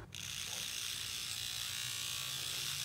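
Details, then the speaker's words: 1970s Rivarossi O-gauge Rogers 4-6-0 locomotive, motor removed and run on test transformer after months sitting, wheels turning stiffly: high raspy gritty whir; sounds horrible, owner will oil it. Cause suspected, not confirmed. "that sounds horrible let's throw a little Earl in that"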